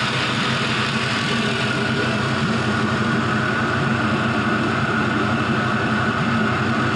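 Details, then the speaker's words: 5.3L Gen 3 LM7 V8 with 180k miles, idling warm at 170°F coolant temperature with no leaks: smooth, even low burble and exhaust rumble, no smoke, ticks, misses or knocks; normal warm idle. "see no smoke, just some good noises coming out of there. The exhaust always sounds so good."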